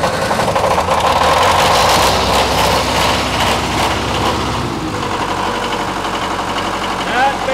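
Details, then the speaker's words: 1991 Onan MEP-003A 10 kW military diesel generator, new old stock with under one hour runtime, first start since 1991 after glow plug preheat; steady even beat, smooth under load, oil pressure 45. Normal running. "again that's the first start in a long time we got good oil pressure 45"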